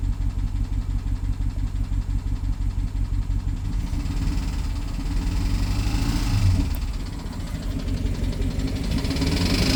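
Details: BMW 750Li N63 V8 at idle after fuel injector and high-pressure fuel pump replacement: uneven idle with loose, irregular light tick around three per second and occasional stumbles; ticking misfire, owner suspects timing chain.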